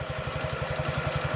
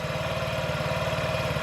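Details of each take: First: 2017 Honda Ruckus NPS50 50cc four-stroke scooter, after cleaning and new spark plug, tachometer fitted: quick even low putter at idle, about eleven beats a second, no misses; normal idle though it dips low at times. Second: 2017 Honda Ruckus NPS50 50cc four-stroke scooter during idle adjustment, tachometer just under 2000 rpm: a slow, lumpy low thump at idle with an uneven beat, sounding about to die. Idle screw set too low.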